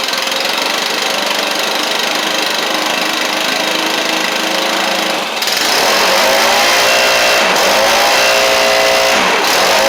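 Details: Stihl/Husqvarna backpack blower two-stroke after a Hipa carburetor kit rebuild and choke adjustment: steady howl, then revs up and holds a clean even pitch as it warms; runs healthy.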